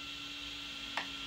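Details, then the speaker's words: Ultimaker S5/S7 3D printer after replacing the sliding blocks and short motor belts: soft, steady motor hum with one faint click and no rattle or scraping; normal, quiet printer motion. "it's so quiet changed out the sliding blocks and the short belts and now this is a very happy fringer"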